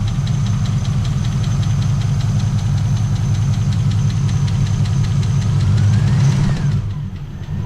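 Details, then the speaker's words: LS-swapped Trans Am started after sitting a long time: a quick, steady light valvetrain tick over the rumbling idle fades as oil pressure comes up. "And the tick's going away, so that's good. We're getting oil pressure."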